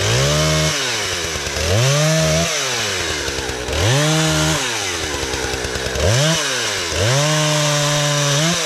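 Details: Husqvarna 455 Rancher chainsaw, sat for years and previously idled then died on throttle, tested cutting a downed tree after carburetor and fuel line repair and chain sharpening: snaps to a high scream, bogs slightly into each cut, recovers cleanly without sputter; running properly.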